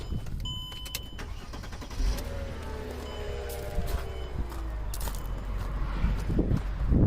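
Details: 2003 Mercedes-Benz E300 3.2L reported as a crank-no-start, owner suspecting the fuel pump: engine cranks briefly, catches and settles into a steady, even idle with no misses or stumbles; fuel pump draws about 7–7.5 A, normal start and idle.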